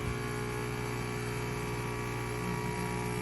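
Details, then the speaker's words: Breville BES990 espresso machine: steady low electric hum that never cycles off, pump running nonstop without drawing water from the tank; pump problem suspected. "I don't see the water is going down. I can hear the pump. Pump is going nonstop."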